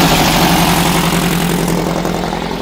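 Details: Air-cooled VW flat-four (1972 Super Beetle or 1971 Karmann Ghia) starting: loud, gruff clattery idle that catches and settles without knocks or misses; normal.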